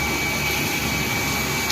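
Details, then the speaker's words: Water pump after the top cap was opened and refilled with water to purge air, cured of surging and air mixed with water: steady even hum with constant high tone, no sputtering; pump running strongly and smoothly. "ตอนนี้หลังจากที่เราเปิดฝาบนแล้วกรอกน้ำใหม่แล้วเปิดปั๊มน้ำเข้ามาแรงครับ"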